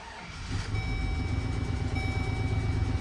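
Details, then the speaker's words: 2005 GMC Sierra half-ton (GMT800), 66k original miles, before the injector replacement: a lumpy, stumbling idle. It is misfiring; plugs and wires were reportedly done, so injectors are suspected. It now holds idle, having run worse when bought. "It's either spark plugs or injectors, and the guy said he did plugs and wires, so we're starting with injectors. I'll show you how bad this thing's actually running."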